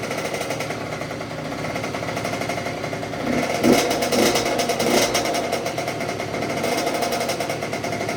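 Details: 2006 Honda CR85 two-stroke after a Wiseco rebuild (new crank, piston, seals, bearings, gaskets), first break-in heat cycle on choke: a quick, fairly even idle with no rattle or knocking. Quiet and healthy.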